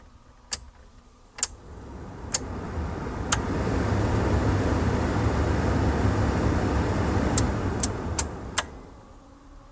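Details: NA Miata blower motor after swapping in a used blower motor and resistor (old one squealed intermittently): a couple of switch clicks, then the fan spools up to a smooth steady rush with no squeal or chirp; blower running healthy.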